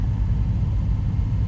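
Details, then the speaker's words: 1975 Jaguar XJ6 daily driver climbing a hill locked in second gear on the first drive of the year gives a deep, uneven rumble with stumbles from an intermittent misfire under load; owner suspects moisture in new fuel, better with revs kept up. "I think it's a fuel thing we just put new fuel in it and stuff I think it's there must be some moisture in the fuel or something intermittently missing but if I keep the revs up it seems to be better"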